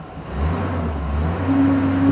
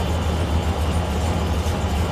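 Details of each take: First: 2001 Silverado V8 after repair, with P0300 cleared: brake-torqued under load with a steady, even, deep drone and no audible stumble. The scan tool still shows a few minor misfires, nothing significant; engine running healthy. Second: 2001 Silverado V8 at idle with the EGR valve commanded open by a scan tool actuation test: a deep rumble with an uneven, loping beat and stumbles. Exhaust gas recirculating at idle causes misfires.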